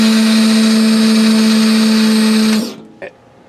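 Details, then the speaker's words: Replacement double-acting hydraulic pump for a 1998 Fleetwood Bounder motorhome Hydra-Slide slide-out, tested with no load, cylinder not connected to the slide frame; steady even electric-motor hum with clean mid tone for about 2.5 seconds then shuts off, normal pump operation. "I feel really gratified at this point knowing that the pump does work"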